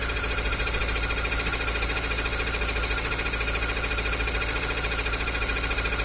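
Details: Chevrolet Corsa Hatch at idle with a fast, fairly even ticking about 3.5 per second over a dense hiss; owner unsure whether it's the water pump, tensioner bearing or an accessory bearing.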